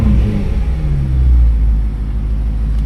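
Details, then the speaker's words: BMW M3 after sensor replacement for a cold start and stalling issue, check engine light now gone: deep, smooth rumble rising cleanly on throttle blips and settling back to idle without stumble or stutter; engine sounds healthy. "Comes back down to idle pretty nice, too. Doesn't stop and stutter. I mean, the engine light's gone. That's like the biggest thing, though. Well, you can hear when I give it gas, it sounds pretty pretty fine."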